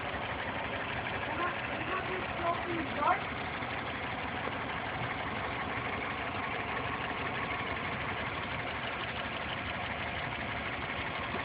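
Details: 1990 Toyota Corolla 4A-FE petrol four-cylinder idling: fast light steady ticking; valves and timing within spec, compression 135 psi all cylinders (below 145 minimum), cause unknown.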